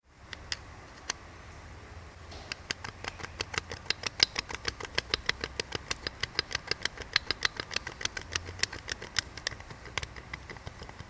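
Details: 2006 Kia Sportage 2.0 CRDI D4EA-V diesel, 138bhp, GTB1649V turbo: quick sharp puffing tick over a thin, weak engine note, no power and heavy breathing from the oil filler cap; failed turbo with heavy blow-by.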